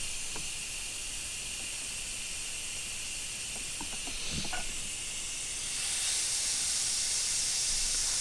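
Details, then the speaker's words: 2008 Mercury 225hp Optimax gearcase off a Champion 198 SC, water found in lower unit, pressure tested off the boat: steady high hiss swelling toward the end with faint handling knocks, air felt escaping; leak traced to bad prop shaft seals. "yeah so you can almost like you can immediately like you can feel the air like I can feel it right here it's uh oh yeah so it's leaking from there"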